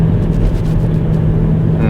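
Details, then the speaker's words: 2010 Volvo V50 cruising at speed with a steady low hum drone under the road and engine noise; the decent tires seem unlikely, so a wheel bearing or differential is suspected, not confirmed. "can you hear that there's like a we got a wheel bearing home I think it could be tire noise but I don't think it is cuz they're decent tires I would say that's a wheel bearing or a bit of diff noise"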